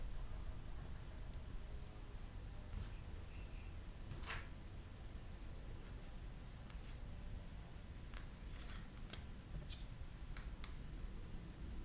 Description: My brand new Samsung Galaxy Note 9 is producing a Rattling Noise form the Camera and S Pen when I shake it. Is this normal or I got a bad unit?